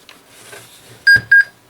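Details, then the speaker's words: Old Dell laptop stored in hibernation around 10 years, powered by a different Dell power brick, gives two short high beeps at power-up then quiet; possible failure to POST, meaning unknown. "there you heard had a couple beeps there trying to see if the screen's even working"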